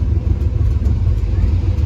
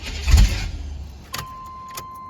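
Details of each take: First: 1994 Chevy K1500 after replacing coolant temperature sensor, restarted after sitting about an hour, timing not yet set: deep steady rumble, even beat, no misses or knocks; starts and idles cleanly. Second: 1994 Chevy K1500 crank-no-start with compression, fuel and spark; fuel pump unplugged: cranking bursts, then catches and runs rough and uneven briefly before sagging; likely super flooded, later fixed by replacing coolant temperature sensor.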